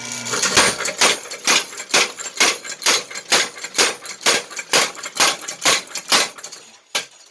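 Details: Grandpa Rob's power hammer, foot pedal trips a micro switch that starts the motor and tensions the drive belt: crisp, evenly spaced ringing blows about two a second, steady and clean, then winding down; working properly.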